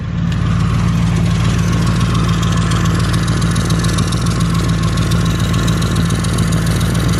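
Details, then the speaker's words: Ford Crown Victoria V8 at idle: deep burble with uneven puffing, ticking rasp from a bad exhaust leak on both sides; pipes not properly bolted up and hanging low. "because the car can sound way better than this man but I got an exhaust leak that's terrible on both sides i'ma let you guys hear"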